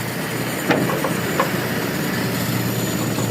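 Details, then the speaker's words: Toyota Kijang Super with a new carburetor, idle mixture being adjusted: low, even warm idle with no stumble, just light clicks. Owner suspects the primary jet is too small or the float too low. "halus kan, enak. Tapi nanti kita tes, sepertinya lubang spuyer primer terlalu kecil atau pelampung terlalu rendah."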